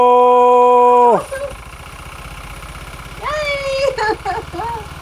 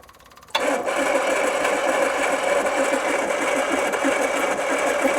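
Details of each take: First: 1980s turbo hot hatch, 36,000 miles, off road since 1992, first run after 33 years, no extra fuel given: steady even idle with regular firing pulses, no stumble or miss, "dead smooth"; normal idle. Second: 1980s turbo hatch, 36,000 miles, unused since 1992, fuel fed from a can through the original regulator: starter cranks evenly about twelve seconds, engine never fires; crank no start despite fuel reaching the carburettor.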